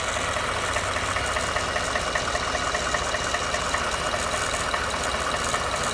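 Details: Ford F150 bought used, knock noticed after 1000 miles: steady idle with light regular tapping about two and a half per second; origin unknown, going to dealer.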